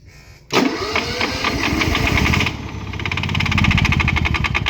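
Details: Honda EU7000is generator, start-then-stall problem, oil level reduced, side panels open, eco throttle toggled: catches with sharp burst, runs rough and surges, uneven ticking beat with a click or slap (owner suspects knock) as it falters toward stall.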